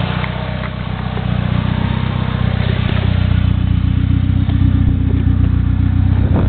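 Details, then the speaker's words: 1G DSM with new engine at 300+ miles in break-in, ported 14b turbo at 12 psi boost, 3" turbo-back exhaust with dual-chamber Flowmaster, quick free rev: deep even drone climbing smoothly, regular firing, no knocks; normal healthy rev. "Give it a quick rev just so you can kind of hear what it sounds like."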